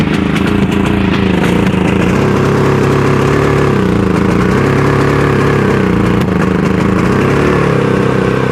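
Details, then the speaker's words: Harbor Freight Predator 5000 generator, pull-started on propane with a low battery: the single-cylinder note wavers and hunts instead of holding steady, running rougher than on gasoline and sounding like it's choking itself out; owner thinks the plug reads a little rich. "Definitely runs rougher on the propane. Um, and definitely sounds like it's choking itself out."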